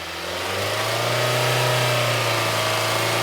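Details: 2020 Hyundai Tucson 2.4L, code P1326, previously would not rev past about 1000 rpm or upshift (fail-safe mode suspected): the engine climbs smoothly from idle to a steady higher speed and revs freely. A sensor issue is suspected.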